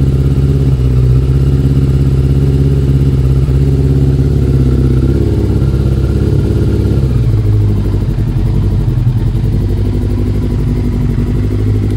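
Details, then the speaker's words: Yamaha YZF1000 Thunderace 1000cc four-cylinder, still warming up (takes a couple of minutes), heated grips on test: steady, deep, lumpy idle with even beat, slight settling midway; normal warm-up idle. "I said this bike takes a couple of minutes to really warm up the floppy ideally you know you sit like this for a minute or two and then you ride it and it warms up along the way"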